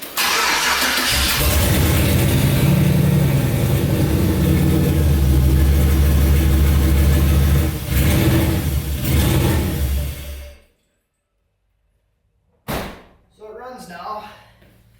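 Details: LS V8-swapped turbo Ford Ranger that kept starting then dying, after repairs: a bad crank sensor plug was replaced and a faulty factory one-bar MAP sensor swapped for a two-bar one. It cranks, fires straight away, and holds a strong, even V8 rumble; now running well.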